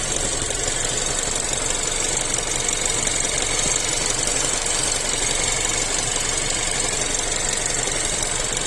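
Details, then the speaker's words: Chery Tiggo 7 Pro Max Elite AWD with robotized gearbox, no error codes: running engine with a fast, somewhat uneven intermittent tapping over a hissy background near the gearbox. Cause not yet found. "Может, кто подскажет. То стучит, то не стучит."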